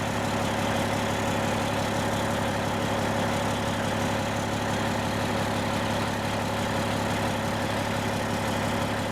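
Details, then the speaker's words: 1995 Western Star with Cat 3406E diesel, before exhaust replacement, idling with holes in the old exhaust: heavy idle with raspy, chuffing edge, louder, not a smooth low rumble, sounds a little off; exhaust leaking through holed pipes. "here's what the truck like sounds like currently with the holes in the exhaust like it's not bad it's louder than without any hold but it's not a you know it's not a smooth low rumble um you can tell it just sounds a little off"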